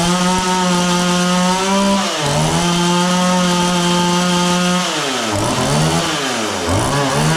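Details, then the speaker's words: John Deere CS40 chainsaw after a replacement chain oiler was installed: two-stroke revs sag and stumble each time the throttle opens before recovering. It idles fine and runs good once at high RPM, but bogs on throttle. Owner suspects the carburetor high-speed adjustment. "It only bogs down when I give her the onion. It idles fine. It's just when I give it throttle. Once you get it up on, you know, high RPMs, it runs good."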